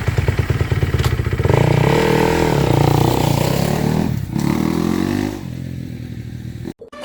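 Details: 2014 Kawasaki KX250F single-cylinder after replacing fried clutch plates with EBC clutches (previously wouldn't move in any gear, little cable free play): fires steadily, revs cleanly, settles with no odd knocks or clatter; normal running.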